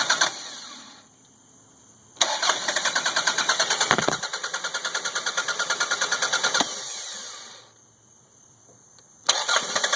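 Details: 1992 Toyota Camry 4-cylinder, rebuilt engine (new rings, gaskets, plugs, distributor, cap, rotor; 200 psi compression, fuel pressure, vacuum, sensors, ECU checked): long cranks catching briefly then dying; hard start from weak spark, worse when hot, misfires increasing until stalling.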